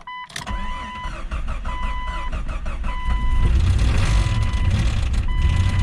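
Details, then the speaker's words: 1999 Jeep Cherokee XJ 4.0L, jump-pack started and won't idle: the engine catches and runs loud and rough with a harsh clattering racket under a steady dash chime. Noisy startup, cause not yet pinned down. "There's a delightfully fine racket for the engine to make."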